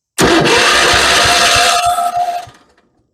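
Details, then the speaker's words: 1976 Vermeer LS200 log splitter with a cast-iron Kohler K301 12 hp single, started on booster power after electrical work: strong, regular thumping at a steady pace, then dies away. It sounds healthy and intact. "oh she sounds good folks I hear a nice stumping rmic thumping as if the engine was intact"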